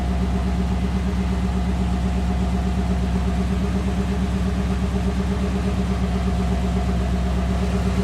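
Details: 1986 Chevrolet Corvette C4 L98 TPI V8 idling after EGR tube repair to clear Code 32 Service Engine Soon light: steady, even idle, smooth low rumble, no misses, knocks or ticks; no warning light, running cleanly.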